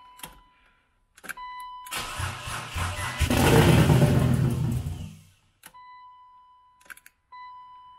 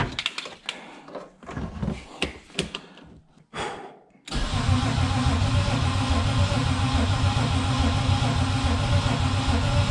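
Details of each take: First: Turbo BMW E36 build, first start-up on a jump pack, throttle cable faulty so no revving; starter cranks about a second, catches with a deep, lumpy roar and runs a couple of seconds before cutting out as the battery dies; normal engine start-up. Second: Turbo BMW E36 build, first start-up attempt: steady, even starter churn with good regular compression pulses but no firing; no fuel reaching engine because feed and return lines are reversed.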